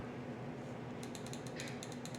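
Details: 1970 Pontiac Firebird LS1 swap, previously clogged fuel injector bench-tested after being blown out: after a quiet second, crisp rapid ticks in a steady rhythm; injector opening and closing freely, normal clicking.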